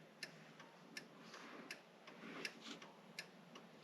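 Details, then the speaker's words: Non-starting Foxbody Ford Mustang, testing accessories: crisp, even ticks about every 0.75 seconds in a quiet cabin as the turn signals blink. Normal flasher operation. "we got headlights well go figure the broken one works if we got turn signals you know back there is blinking"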